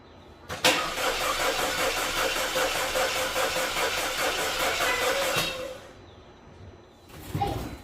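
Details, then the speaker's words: Audi A4 2.0L turbo, first start after major engine repairs, fuel pump heard priming: steady rapid cranking at about two and a half beats per second for about five seconds, never catching; crank-no-start, fuel and spark to be checked. "So, further diagnose, we got no startup. There's a crank, but no start."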